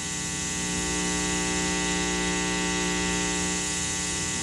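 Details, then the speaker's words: Bass guitar through an amp: a steady 60 Hz hum with even overtones and hiss that drops with volume and changes with pickup mix and EQ. The fault proved to be the amp, which was exchanged. "this is a bad 60 hertz home now it does sort of go away when i turn the volume down"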